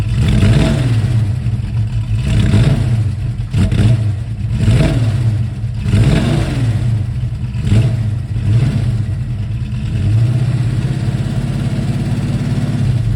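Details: 1971 Mercury Comet GT V8 with roller lifters and a small cam: rough lumpy chugging with loud rapid clacking on every rev, down on power; suspected collapsed roller lifters or bad cam, metal fragments and needle bearings found on the drain plug.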